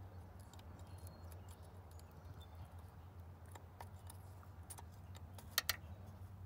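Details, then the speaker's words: 1990 Oldsmobile Custom Cruiser, 403 engine, 200-4R transmission, no fluid in the solenoid, key in run: two sharp crisp clicks over a faint low hum as power is applied to the torque converter clutch lockup solenoid; normal solenoid click. "now the key is in the run position if you listen carefully there's no fluid in it so you'll be able to hear an audible click"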